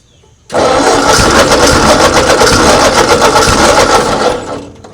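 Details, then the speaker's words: 1939 Ford tractor left in a field 20+ years, hand-choked at low throttle; catches and fires in quick fairly even beats, about four a second, running only briefly before fading out; normal running at low throttle. "I believe that's low throttle."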